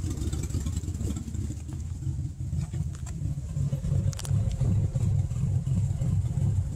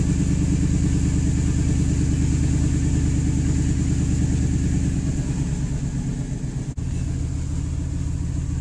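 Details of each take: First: 1998 Ford F-150, 5.4L Triton V8, at idle when stopped: low, uneven pulsing and stumbling that shakes the whole truck, sounding like a misfire though it isn't. Runs fine under throttle and sometimes stalls. Rough idle from a vacuum leak. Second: 1998 Ford F-150 5.4L Triton V8 idling with a steady, even low rumble, no stumble or misfire, after fixing a vacuum leak that caused rough idle and stalling at stops; normal idle after repair.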